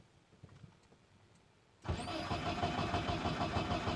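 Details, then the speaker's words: BMW E36 318 cranks at about three turns a second but won't start: spark present, fuel pump silent on first check, then pump hums yet no petrol reaches the engine; fuel pump circuit being checked. "проверим питание сейчас проверим питание так здесь ну-ка питание идет насос молчит"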